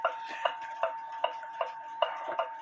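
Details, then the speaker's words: 1900 Jules Rolez gothic bracket clock after gong coil repair: crisp, even ticks about two and a half per second with a steady beat in a quiet room. The movement is running normally. "still hear it ticking away."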